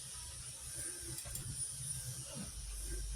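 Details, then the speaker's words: SYM 200cc scooter after cleaning front disc caliper, brake pads and rotor to fix a noisy, dragging front brake: low even rumble with steady hiss, no squeal, scraping or rubbing; noise gone. "Kanina walang ganyan ' ba nawala yung tunog. Wala na yung tunog."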